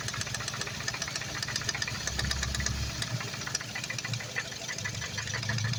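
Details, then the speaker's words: Ford Focus ST freshly rebuilt engine at idle: sharp, irregular ticks and knocks from the top end; owner suspects an injector, cam phaser or split coil (one bad coil found on cylinder three), source unconfirmed. "I just did it and I'm getting this [Music] noise it comes over here I don't know if it's an injector I don't know if it's a camp phaser"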